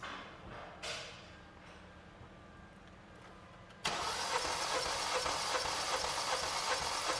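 After a quiet pause the starter spins the engine with an even, steady whir and no uneven beats, which is normal cranking.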